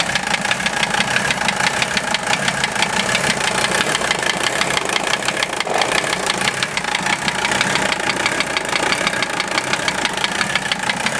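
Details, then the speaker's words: OM617 diesel swapped into a Toyota, warmed up 2-3 minutes, idling: sharp steady knock at about engine speed through the clatter; unchanged after valve adjustment and cracking each injector loose; owner suspects piston/connecting rod area, cause unconfirmed. "It always runs a little rough when I first start it, but I hear the noise pretty easily now."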